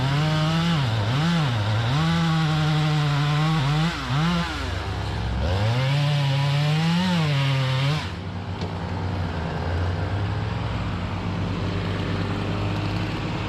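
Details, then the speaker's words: Chainsaw with 28-inch full-comp bar, chain filed aggressively, cutting hard white oak: strong high revs dip slightly as the bar bites and pull straight back up; healthy under load, minutes before a crank bearing cage failure. "i mean this is white oak it's a hard tree it's got 28 inch full comp bar on it i mean i've got it filed aggressively and man puddin's eating good and i'm like man this is great until a few minutes later"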